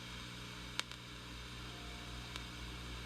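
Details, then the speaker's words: Sears Silvertone Twin Twelve 1484 tube amp with the amp off, signal tracer in noise mode across a resistor near pin 7 of the 6FQ7 phase inverter; steady hiss, low hum and sharp pops from a noisy resistor that is replaced. "I've got the signal tracer on noise mode which means it's running voltage through both leads it's not grounded right and I think I found the noise"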